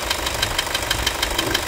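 Even diesel clatter about six beats a second at idle with no squeal or scraping on top; the belt drive runs quietly.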